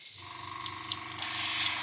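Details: Gaahleri Mobius TG 0.5 airbrush on a compressor, after the airflow valve was wound back out: steady, strong hiss of air over a low compressor hum, even flow with no sputter; airbrush delivering air normally.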